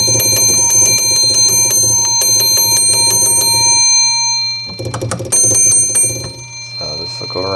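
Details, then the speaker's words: 1948 Gottlieb Olde King Cole pinball, restored: bright metallic scoring-bell strikes in quick bursts ringing out cleanly over a low transformer hum. Normal scoring bell. "that's your Transformer that's the hum in you here this is one of the Bells"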